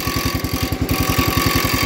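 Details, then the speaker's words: Gravely 814 tractor that sat outside for years, restarted after dying and a no-spark problem: single cylinder thumping steadily about eleven firings a second, even, no misses; engine running normally. "I got her fired back up"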